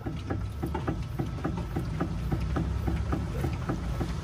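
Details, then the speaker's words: Fiat (Palio/Uno/Strada type) parked car rocked by hand, giving quick light knocks about twice a second: a worn stabilizer link whose ball-joint pin knocks against the metal and the loose remains of its bushing. "então o pino fica batendo no ferro tá fica batendo aqui no ferro ou então batendo no restinho de bucha que tem com folga aqui dentro aí fica fazer barulho"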